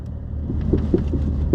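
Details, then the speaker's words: 2021 Porsche 718 Cayman GT4, 4,500 miles: a rear clunk present since new, heard at slow speed over speed bumps as soft irregular knocks over a low rumble. The car shimmies after bumps. A loose rear sway bar was found, and replacing it fixed the noise. "uh that sounds like something's loose it does it's oscillating yeah"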